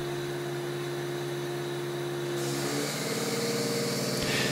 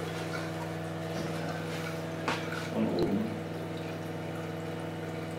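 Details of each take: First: Osminion Slim Mix water filter unit, about 4 bar line pressure, inlet flow throttled by slowly closing supply valve: steady pump hum turns rougher and hissier as the unit is starved of water; Fault indicator flashes with warning beep. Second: Osminion Slim Mix reverse-osmosis filter, about 4 bar line pressure, in a rinse (self-cleaning) cycle, Rinse symbol lit: steady pump hum, gently running water, a few soft clicks; normal.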